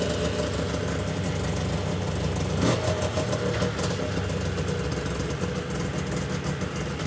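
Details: 1999 Yamaha Vmax 700 triple two-stroke snowmobile with carburetors, previously not running on all three cylinders; started on choke after work: fairly steady idle with a slight uneven wobble and a brief blip, idle seemingly better; uneven idle.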